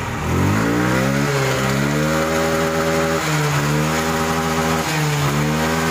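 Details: Yamaha Xeon that died suddenly with lost compression, misfiring bangs and smoke, revved after valve clearance was set to 0.10–0.15 mm; blips up cleanly three times and drops to a steady idle, now running normally.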